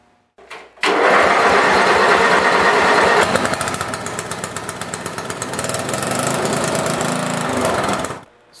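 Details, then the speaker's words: Briggs & Stratton-engined lawn tractor after starter gear repair and reinstalling the starter gear cover: starter spins briefly without gear clatter, engine catches cleanly and settles into an even, steady run. "as you can see, it's a fairly simple job to do."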